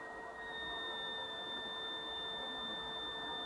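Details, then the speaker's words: Elegoo Neptune 2S 3D printer stepper driver: high steady whistle-like whine shifting in pitch as driver reference voltage is turned with a ceramic screwdriver, seeking the quietest setting; coil whine from driver current, too low (53 mV) stops motor. "as we move it around we'll see here the frequency going up and down and we can try to find a voltage that sounds the quietest to our own ears"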